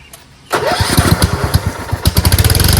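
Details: Lawn tractor with a dead battery (9 V), jump-started from a jumper pack: sharp crank, then the single-cylinder engine catches quickly and settles into an even thumping idle; starts and runs fine.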